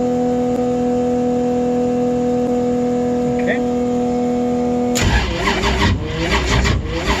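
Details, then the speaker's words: Steady hum, then starter labors in slow, uneven turns about eighty a minute without catching; owner suspects battery failed after being left charging overnight, first crank attempt, jump box needed. "and as you guys can hear i am suspecting that my battery has gone to [ __ ] because i left it charging all night long this is the first time i've tried to crank it and as you can hear the thing is just fighting but that's what a jump box is for"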